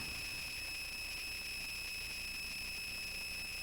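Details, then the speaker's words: Touch Board plugged in and unmuted, audio output giving a constant high-pitched whine with several steady tones over faint hiss, no rhythm; unexplained electronic noise, cause unknown. "I'm not quite sure why the noise."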